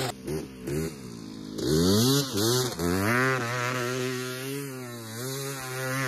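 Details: 1986 Honda ATC250R two-stroke, ridden on a track after years of sitting: revs climb, then sag and stumble as the throttle opens, a bad bog on acceleration that the owner plans to tune out of the carb; cause not yet found.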